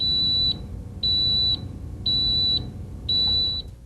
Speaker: The first panel, to the extreme left, is the low water indicator. It will light up and make a beeping sound when your system is low on water.